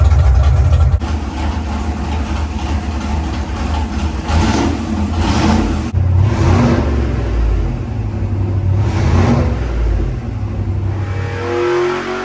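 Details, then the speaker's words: Carbureted V8 baseline dyno pull on the same tune as a month earlier: a deep, even roar under full load with no knocks, misses or rattles, making 446 hp against 444 before. Healthy and consistent. "so the same exact tuneup from a month ago it made 446 and that was 44 44 yes so we're within 2 horsepower it's a consistent little guy"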